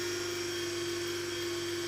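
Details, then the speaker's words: Cheap knock-off hand dryer's brushed vacuum-cleaner-type motor, dated December 2021, with a brush stuck in its holder, run on a bench supply: steady buzzy whine with a rough gritty edge, speed even, drawing heavy current; commutator bars suspected bad. "oh that sounds horrendous that sounds bad that's drawing some current that the very act hates that oh that is not good this is shot I think some combar are gone bad"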